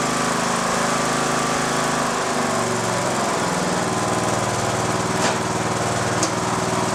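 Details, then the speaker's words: Mower cranked by a restored lead-acid battery that previously would not crank it even after charging: strong, steady cranking despite one bad cell; the engine later started. "A battery that would not crank this mower under any circumstances. You could charge it all day long and it would not crank the mower over at all. Now it cranks it, even with the one bad cell."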